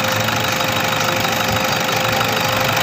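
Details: Toyota Innova 2KD diesel after a high-pressure pump part was replaced and the EGR vacuum switch was fixed: a steady, even clatter at idle, about three beats a second; normal idle.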